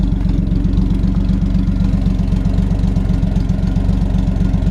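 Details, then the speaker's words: 1966 Chevrolet C10 Fleetside V8 idling: a steady low rumble with a regular puffing tick, about four a second, from a small exhaust leak at the donut gasket where the manifold meets the pipe. It was left unrepaired. "kind of really little exhaust leak right by the donut down here but honestly I wasn't nothin with it cuz it sounds kind of cool"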